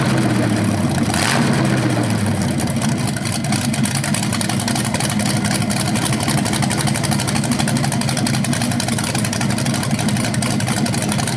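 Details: BluePrint 396 crate engine for a 1970 Camaro SS, first run after oil priming and timing check: brief rev blip then steady, even lumpy idle, no knocks or ticks; normal, owner unsure if flywheel or headers change the rev sound.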